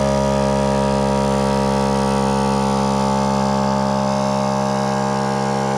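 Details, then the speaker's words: Air compressor on a 7 1/4-inch gauge driving carriage, fitted to supply an air cylinder for cable-operated brakes, switched on at its main switch; steady motor hum with an even pulse of about three beats a second, no knocking or squeal, running normally. "So that's the main switch there for the compressor, as you can hear."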